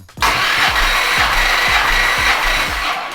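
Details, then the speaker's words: 1970 Plymouth GTX 440 V8, old engine before rebuild, warm, full throttle, all 8 plugs out, compression test: even starter whirr with steady rhythmic pulses, no misses; reading about 130-150 psi; normal cranking compression. "Of course, we remove the 8 spark plugs, and we're going to get 4 strokes on my gauge to see what compression we're going to get. And I'm going to crank it from over here. And here we go. Full throttle, warm engine, 8 plugs out."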